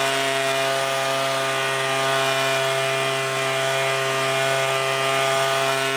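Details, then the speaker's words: Leaf blower carburetor being adjusted, both jets set out 1.5 turns, then the low-speed jet out another half turn: steady high-pitched two-stroke drone, clean and even with no bogging. The throttle is now responsive. "I turned the low speed jet out another half turn and now the throttle is responsive."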